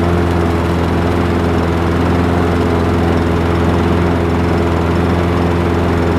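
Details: Craftsman 6.75 lawn mower that would not start after winter storage, running after carburetor cleaning (a clogged port or jet, bottom one suspected): steady, even single-cylinder drone, no misses, surging or knocks; healthy.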